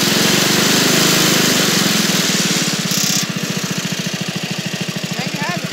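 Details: Dynamark riding lawnmower, unused for 25 years, after carburetor cleaning, jet adjustment, air cleaner cleaning, new spark plugs and a new fuel line; the small engine catches and settles into a steady, even idle thump with no misses, running normally.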